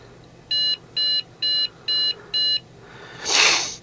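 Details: Trash-picked Dell Inspiron 660S desktop at power-on: five short, even high-pitched beeps about half a second apart, then a rustle; fails POST.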